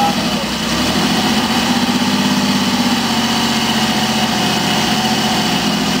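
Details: BSA Rocket 5-speed twin, kick-started after brake service, valve and rocker box adjustment: catches on the first kick and settles into an even, steady idle with a light mechanical patter and no clatter. Sounds healthy.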